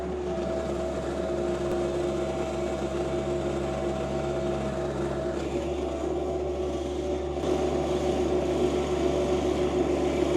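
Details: John Deere 2025R compact tractor with a Tarter RT205 rototiller, repaired after leaked top-gearbox oil seized the gears. It is tilling garden soil with sawdust and ash, recorded from a tripod. Engine pulls steadily with an even gearbox drone and soil churning, no grinding or clunks: normal operation.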